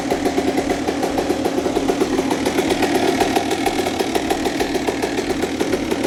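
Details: Honda CR125 two-stroke after a full rebuild, cold start, first run of the day, Pro Circuit pipe: rapid, even popping, ticking over steadily with no misses or rattles; a healthy idle.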